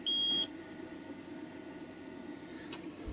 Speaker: give it a wiggle yep that's a bad Pia let's go grab a new one